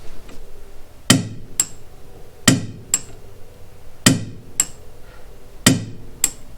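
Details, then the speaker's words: New Tekton split-beam torque wrench set to 50 ft-lb clicking over; sharp crisp metallic clicks in pairs, a click said to sound different from a standard click-style wrench; working properly. "you can definitely hear a difference in the click that you get from this torque wrench to a standard click style."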